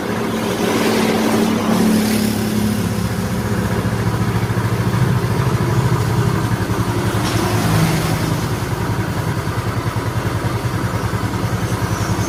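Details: Yamaha Mio Soul scooter, previously very noisy rough engine, first start after engine reassembly (kick-started dry first to raise oil): steady, even single-cylinder idle with regular low putter, no knocks or ticks; normal idle.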